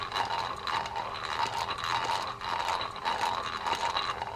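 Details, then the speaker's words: Sears King Neptune fishing reel made by Daiwa: gritty, scratchy crunch repeating each handle rotation; mechanical grinding, most likely worn main or pinion gear, possibly a bearing. "that's going to indicate that the issue is mechanical the wheel is functioning that issue there is going to be one of two things it's going to be a worn main gear or opinion gear that's the most likely one or it's possible that it is just the bearing"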